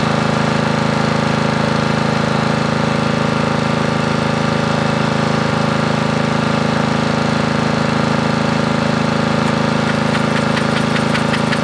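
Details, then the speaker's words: Briggs & Stratton 13.5 riding mower engine bolted to bench, gas fed to bowl, earlier flooded, mouse nest inside: single cylinder thumping fast and steady, light ticking near end; bogs and stops, owner suspects flooding/hydrolock or mouse nest. "The good thing is that it will run. The strange thing is, it seems to kind of hit a point where it doesn't want to turn over."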